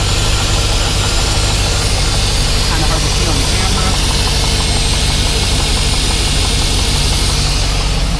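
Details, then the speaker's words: GMC Yukon Denali 6.2L LS with DOD at idle after the heads were pulled and the lifters replaced: loud, steady V8 idle with even firing and no ticking or chatter; lifters are quiet and healthy. "engine sounds great there's no chattering this will lift their tank there's nothing"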